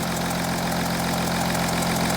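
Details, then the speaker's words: Audi Q7 3.0L diesel (P0272 cylinder 4 misfire, P0087 low rail pressure) idling after injector swap: sharp rhythmic ticking and chuff over the clatter; compression leaking past an injector seat, new copper washers to be fitted. "I don't know if the camera is picking up the noise listen to this you see that that's a compression leak right"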